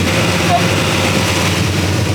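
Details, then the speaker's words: LS3-style V8 swapped into an E46 BMW, first start-up after wiring: deep, steady, fairly quiet idle, no knocks or misses; engine and exhaust sound healthy and tame. "man the engine sounds awesome the exhaust sounds so freaking cool i am i'm very happy with that you never know with these motors that they're gonna be screaming or not and that sounds super tame"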